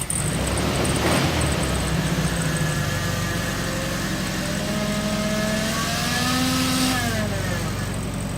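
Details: 1974 VW Beetle (Sunbug) air-cooled flat-four, first run after 30+ years in storage, with a replacement carb, running off a small temporary tank: steady, even, slightly lumpy beat that rises and settles with the throttle; runs normally.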